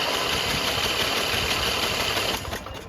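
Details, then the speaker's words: Briggs and Stratton 14hp riding mower engine, starter replaced: a fast starter whirr with no firing, then it winds down. The fuel shutoff doesn't work, so constant drip floods and hydrolocks the cylinder if the key is left on; it is cranked to clear it. "And especially if I just leave the key on like I did for a couple seconds, it'll fill the cylinder up. Am I gonna look into that eventually? Probably not. Let's just crank it and clear everything out."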